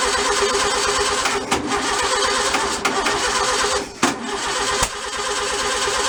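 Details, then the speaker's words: Freshly rebuilt stock 1600cc VW flat-four, first run, accelerator pump leaking: runs unevenly with stumbles and dips instead of a clean steady idle. Rough running; builder suspects ignition timing is off. "i'm gonna call it for the night i don't think it's timed right"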